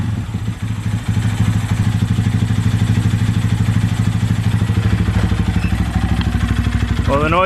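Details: Honda Grom single-cylinder idling after valve clearance adjustment (exhaust was tight, intake loose), suspected timing chain tensioner noise: regular knock about three per second over exhaust beat persists; owner fears rod knock, source unconfirmed.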